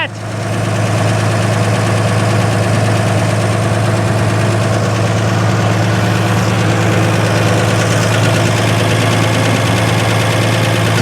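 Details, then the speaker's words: 1955 GMC 350 truck with six-cylinder and Hydra-Matic, first run after 30+ years sitting, started with starting fluid, gas pedal not working: smooth steady low idle, even beat, no misses or knocks; runs healthy. "she purrs like a kitten that's all i needed right there"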